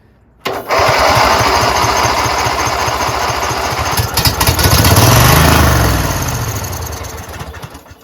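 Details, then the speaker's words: Craftsman GT6000 garden tractor with fuel pump, after sitting: starter chugs steadily about three beats a second but never catches while choked; fuel in lines likely evaporated, starting fluid sprayed to help the pump prime. "Let's crank it some more. The battery's gonna die. I'm gonna spray it some more just to help it out, because when the engine's kind of turning, it helps the fuel pump better."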